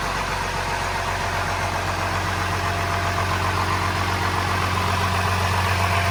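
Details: First start of a transplanted DT360 diesel with AT545 transmission, in neutral, after priming the fuel and bleeding an injector line: steady, even diesel idle with a regular low pulse, no knocks or misses; normal diesel idle, though loose battery-tray bolts vibrated.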